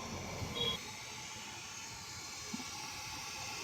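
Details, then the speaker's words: AD NUX 15a active powered speaker fed one channel from a mixer line out: loud steady hiss with nothing playing once the input button is pressed down to line; pressing it again removes the noise, owner suspects the mic/line markings are reversed. "Maingay siya mga ka-sounds, oh. Bakit kaya?"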